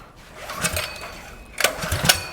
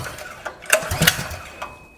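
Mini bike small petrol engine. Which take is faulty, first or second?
first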